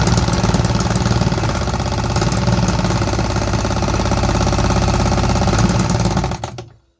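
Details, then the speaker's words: 3D-printed 125cc two-stroke on its first test, fitted with a carbon-fibre-nylon exhaust, firing only on starter fluid. Harsh, ragged popping catches, then stumbles and dies. Fuel delivery from the in-cylinder injector is faulty. "We had some signs of life, but only on starter fluid. That means something is off with my fuel delivery from the injector."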